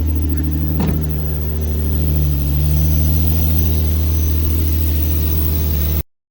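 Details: Nissan G35 with G37/350Z parts, first start-up after the work with the oil pan reinstalled and air bubbles still in the coolant: smooth, steady low idle with an even rumble and no knocks or ticks.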